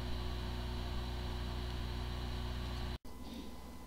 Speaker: the following is the sound from one of the hard drive which experienced disk fir corruption it sounds like a good hard drive but the computer cannot detect hard drive